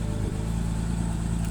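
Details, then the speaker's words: BMW X6 petrol, first start of the morning, heard at the tailpipe: low, slightly uneven cold idle with a small stumble, no error codes; mass airflow sensor suspected, not confirmed. "this car has not been started this morning so the starting sequence of it normally is supposed to not actually have a rough idle but this one does"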